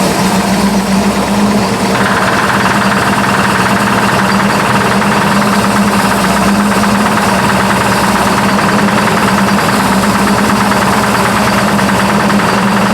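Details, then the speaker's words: Burnt Buick P12 at idle with 42 psi oil pressure: a fast, steady metallic tapping that just developed. The owner is unsure whether it is lifter knock or rod knock; cause not confirmed. "well she's got a knock I don't know if that's lifter knock or if that's a a rod knock or anything but she does have a knock of some kind that just developed"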